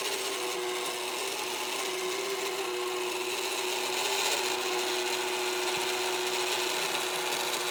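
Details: Magicfly egg incubator turner's synchronous motor: continuous loud rasping grind over a steady motor hum.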